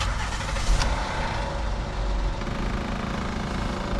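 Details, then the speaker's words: 2009 Honda Pilot 3.5L, 185k miles, idling just after startup: rough grinding rattle from the front of the engine caused by a worn timing belt tensioner; a separate clicking HVAC blend door actuator is also present. "okay got two noises get engine noise and an hvac making those that noise that's the time belt tensioner i don't even have to look any further for sure"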